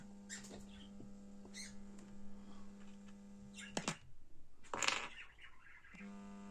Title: What is the humming sound in the amplifier, BD424 Amplifier,👍🙏 Subscribe.